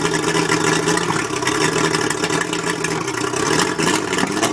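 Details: Mercury 135 outboard misfiring at idle, with an uneven, stumbling, rough beat; the owner suspects the spark plugs.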